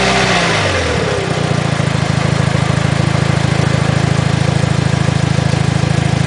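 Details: 2006 Mitsubishi Lancer Evolution IX: revs drop to idle and a low, even metallic chatter appears only with the clutch engaged, disappearing with the clutch pedal pressed. It is quieter when cold. Throw-out bearing is suspected. Rattle at idle with clutch engaged.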